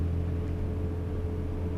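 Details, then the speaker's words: Peugeot 206 S16 with a new exhaust, in the cabin at about 90 km/h: constant low droning roar filling the cabin, coming from the loud R888F semi-slick front tyres. "Là, ce que tu entends, c'est des pneus avant là. C'est une catastrophe les R888F."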